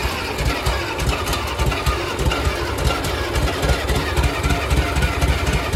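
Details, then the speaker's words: Farmall Cub 140 four-cylinder tractor, sat about five years; lumpy, uneven idle with irregular low thumps about four per second; owner suspects it runs too rich from a badly leaking carburetor; rough running. "it's like it's burning too rich probably because that carburetor leaks so bad"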